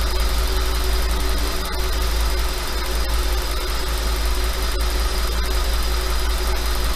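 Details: 5.2 FSI V10: steady idle with a light, loosely regular clatter at slightly raised idle speed; owner asks if normal and suspects piston slap, unconfirmed.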